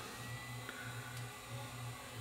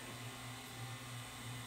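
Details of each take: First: 1981 RCA VET650 VHS VCR at power-up: rhythmic throbbing hum about 1.5 pulses a second under a high whir as head drum overspeeds with scrambled picture; drum servo fault, suspected capacitors in sample-and-hold circuit. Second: 1981 RCA VET650 VHS VCR after drum servo repair, assemblies refitted: low steady hum with even unwavering pitch as the head drum spins up and holds correct speed instead of overspeeding; playback speed detection still faulty.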